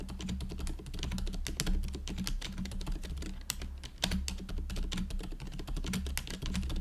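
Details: GoPolar TKL after silent conversion to factory-lubed Silent Cream Yellow Pro tactile switches and a stabilizer stem fix, typing test: soft, muffled keystrokes in quick even bursts, no spring ping or stabilizer rattle on big keys; healthy, quiet board.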